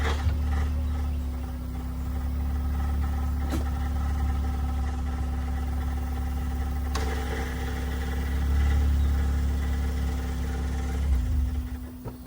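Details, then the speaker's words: 7th-gen Honda Accord just converted to manual, idling with the clutch pedal pressed. A steady low hum carries a faint whirring underneath that stops when a gear is engaged; the owner suspects the transmission. "that noise is the transmission or has something to do with it because when I put the car into a gear it does not make that noise which is very scary"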